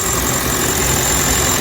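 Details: Kia K5 Hybrid with a P0301 code: loud, even hum with a steady low rumble and no stumbles or skips, a smooth idle.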